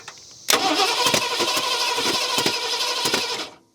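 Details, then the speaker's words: 1970 Ford Mustang V8, abandoned for years: starter turns the engine steadily about three seconds with no catch, then stops; cranks but won't start, owner suspects firing order mistake or timing 180 degrees off. "now it's not doing anything I mean we could have it 180 off but usually when that happens you know it starts shooting through the back like carburetor"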